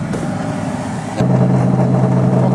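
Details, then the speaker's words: 1993 Chevrolet Astro van, 4.3 L engine, at idle: heater/AC blower motor under the engine lid kicks on with a loud steady hum and droning low tone, loud enough to overwhelm the radio; noisy blower motor awaiting replacement, exact fault unknown. "there's the noise. That's pretty loud, overwhelms the radio when you're riding in the car."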